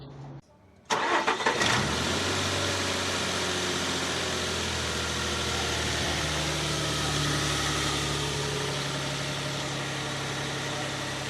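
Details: 2006 Nissan Pathfinder V6 after repair of whistle on start and acceleration, caused by worn secondary timing chain tensioners on both banks: cranks briefly, catches and settles into a smooth, steady idle with no whistle.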